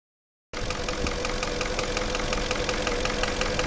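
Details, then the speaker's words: Porsche Cayenne engine idling with regular dull knock about three times a second: piston-group problem, scored cylinder walls, typically cylinders five and six; endoscope inspection recommended. "наблюдаем характерный стук двигателя автомобиля Porsche cayen стук связан с проблемой в пошле вой группе повреждены стенки цилиндров как правило пятый шестой"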